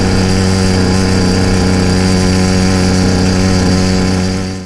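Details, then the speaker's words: YD100 motorized trail bike cruising at about half throttle: steady buzzing drone that gurgles and occasionally misses. Intermittent part-throttle misfire; suspected rich "four-stroking", being adjusted with the needle clip, and blamed for carboning plugs. It smooths out near 3/4 throttle. "In this clip, I'm traveling at the speed that I'd like to go for the majority of the trip, and you'll be able to hear that the motor kind of gurgles and misses every once in a while. This is about half throttle."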